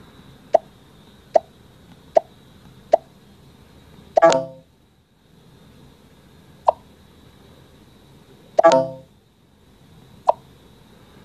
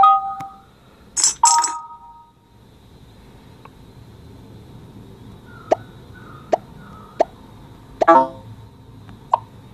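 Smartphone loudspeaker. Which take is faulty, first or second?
first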